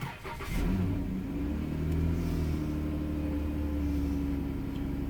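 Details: 2011 Dodge Caravan 3.6L, 81k miles, after repairing failed fuel pump relay inside the TIPM that caused crank no-start with no fuel pressure; cranks, catches quickly, settles to smooth steady idle; normal start and idle.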